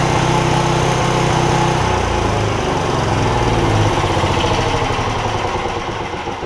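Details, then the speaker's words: Porter Cable generator with 10 hp Briggs OHV engine, after bent pushrod replaced: steady buzzy single-cylinder drone whose pitch and loudness sag; owner suspects damage from earlier over-rev with throttle stuck open when pushrod came off, unconfirmed; one valve possibly seeping. "sinking here it's got a little bit of a uh to it I don't know how well it goes up on camera I think that may be a result of when the when it over revved and the push rod came off"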